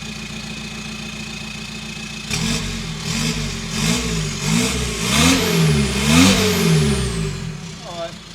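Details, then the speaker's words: VW T5 Transporter diesel, 287k miles, straight-piped after the exhaust was cut off: steady idle, then blips with a louder, rawer rasp and rumble, but not as loud as a petrol; straight-piped diesel exhaust. "right it did get a bit louder but diesels are never as loud as a petrol with no exhaust"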